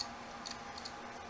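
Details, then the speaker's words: Dead HGST laptop hard drive, lid off in a caddy: faint irregular clicks, the click of death from erratic head movement because it can't read the platter, possibly from corrosion or fingerprints. "irregular head movement that shouldn't be happening but at least the head ah click of death it's got the click of death yep so why this happens is it can't read the platter"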